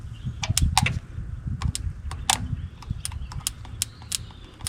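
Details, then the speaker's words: 1952 Minneapolis Moline G tractor, sitting in barn 10 years, points look new: crisp irregular snapping ticks of spark popping over a low rumble; good strong ignition spark. "Although I like I said it had a pretty good spark. I don't know if you could hear it popping."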